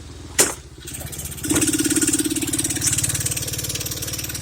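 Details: Taotao Boulder 125 Chinese ATV that runs but won't move and dies: starts and idles with fast, uneven popping tick from the top end, oil seeping near the head; suspected blown head gasket.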